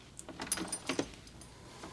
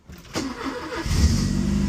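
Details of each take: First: 944 project car with spark plugs in and fuel primed. The starter churns at about four beats a second for four seconds with no firing: crank-no-start. The owner suspects no gas is reaching the engine; the no-start was later confirmed as bad gas. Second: Porsche 944 after curing a no-start traced to bad gas (injectors and DME also replaced): brief crank, then it catches at once and settles into a steady, even idle; a clean start.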